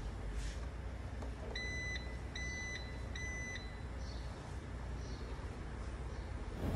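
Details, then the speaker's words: 2023 Range Rover powered tailgate after the trunk was replaced, not yet calibrated: three short high warning beeps about half a second each, evenly spaced; tailgate sounds but won't close. Codes to be checked and calibration planned; cause not confirmed. "ये देखें ना, ये work नहीं कर रहे, आवाज़ आ रही है लेकिन क्लोज़ नहीं हो रही।"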